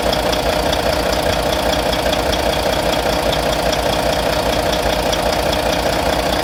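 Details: Volvo VNL D13 diesel at idle after injector replacement: faint, regular tap about 150 times a minute on top; owner suspects lifter noise, unconfirmed.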